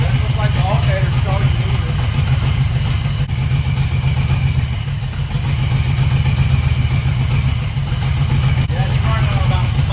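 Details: 1991 Ford Mustang 5.0 LX V8 with new Vortech supercharger setup, first start: lumpy, uneven idle with dropped beats; misfiring, running on about five cylinders.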